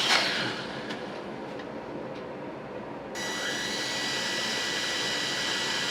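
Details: Litehawk Quattro RC quadcopter at low throttle after readjusting two pinion heights that were set high: hum with a thin steady gear whine coming and going; noise about 95% cured, still needs break-in.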